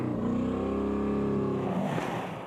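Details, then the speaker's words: 1996 rally car engine after driving through deep water on the stage revs with a choppy, uneven beat, spluttering and misfiring from straight after the start for the whole stage. "Bruno, the engine sounds terrible. Straight after the start, misfire. All the stage was misfire."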